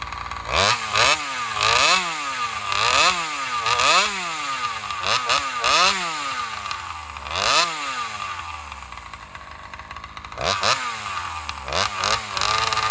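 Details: Alcohol-fuelled chainsaw in a test cut after a fuel line swap, previously starving for fuel in longer cuts. Revs rise and sag about every two seconds, never holding clean top speed, bogging under load; owner concludes fuel starvation and plans a bigger fuel line or metering lever adjustment.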